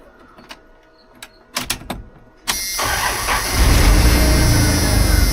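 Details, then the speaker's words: 1989 Dodge W100: a few clicks, then the engine catches and settles into a steady, even idle, much quieter, with no exhaust puffing or ticking. "Start it up and see. It's a bunch quieter now. So they did did some good down there."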